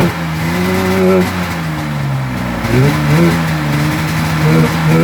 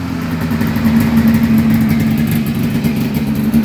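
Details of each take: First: 1996 Polaris XCR 440 Special with the EC45PL engine, fitted with 38 mm carbs instead of the correct 34 mm: revs rise and sag unevenly, hunting rather than pulling clean. It runs poorly because of the oversized carburettors. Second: 1996 Polaris XCR 440 Special converted to EFI, XCR pipe; after the fuel pump primes, it fires right up on a small pull with a crisp, even two-stroke buzz and a clean ringing exhaust, and the throttle is very snappy: normal running.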